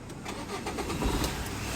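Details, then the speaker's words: Tata Bolt with the camshaft sensor connector deliberately unplugged: the starter churns with uneven chugs and the engine barely catches and runs rough; hard starting, no acceleration, idle drops below 800 RPM, and the check engine light is on. "இப்போ game sensor இல்லாத போது start ஆகிறதுக்கு சிரமம் இருக்குது. அப்படியே start ஆகிடுச்சுனாலும் oscillation ஆகலை."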